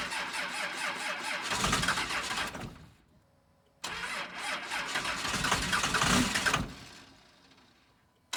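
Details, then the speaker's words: 2nd Gen Cummins diesel cold start at -9°F, not started for a few days; two cranking bursts, catching on the second with diesel clatter, then warming toward thermostat opening; normal cold start. "So let's see if it starts. All right, round 2 should fire."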